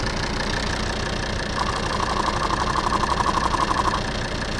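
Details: Volvo P3-platform diesel (XC70/XC60/S60/S80) idling with a loud, quick, regular tapping about four per second that seems to come from the injection pump area; stops when a vacuum hose is pinched, traced to a failed vacuum check valve.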